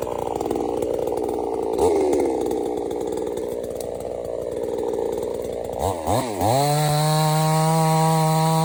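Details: $97 Temu Chinese gas chainsaw cutting wood: strong two-stroke buzz sags and recovers as the chain bites, settling into a steady high rev; pulls cleanly, later stops only from running out of gas.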